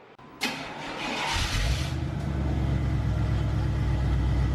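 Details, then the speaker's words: Chevrolet C1500 V8 after fitting MagnaFlow Rumble mufflers, which were meant to cure a suspected rod-knock rattle: quick crank, clean catch, deep even burble with no knocking rattle underneath; the rattle is gone after the muffler swap. "Sounds pretty good. Oop. Nice. Well, that fixed that issue. It sounds way better than I was expecting, actually,"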